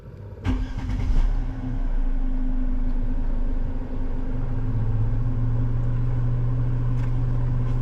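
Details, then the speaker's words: Crash-damaged, auction-bought Mercedes-Benz C200, blower cover removed: after start-up a steady droning hum over the idle; excessive blower motor noise, motor to be removed; cabin filter very dirty. "Assuming this is the motor that makes the excessive noise. And we will try and start the car first, see what the noise is, and then potentially remove that motor."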